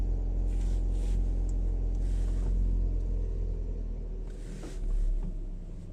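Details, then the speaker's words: Lada Largus (1st generation), engine running: a steady low droning rumble with faint pulsing, about four beats a second, that fades when the clutch pedal is pressed. Clutch-related noise; cause unknown. "Это что-то со сцеплением. Нажимаешь, выжимаешь со сцеплением, звук припадает."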